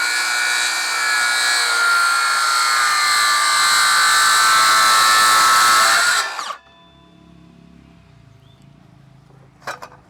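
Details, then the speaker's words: RYU RCCS185 cordless circular saw crosscutting 2x6 timber with its stock 24T blade: a loud high scream lasts the whole cut and drops away when the saw stops, showing the stock blade is poor quality. "Ya, dari suaranya kedengeran ya, kayak menjerit gitu. Itu menandakan blade-nya nggak begitu bagus."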